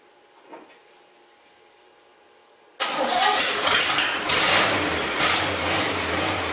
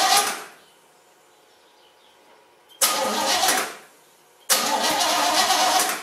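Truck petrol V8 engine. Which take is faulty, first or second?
second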